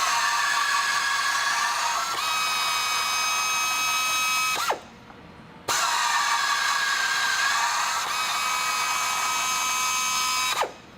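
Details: FlexArm tapping arm tapping 1/4 inch holes in thicker waterjet-cut plate with uniform holes; steady high whine about four seconds, brief dropout, then even repeat, threads cut smoothly; normal tapping operation.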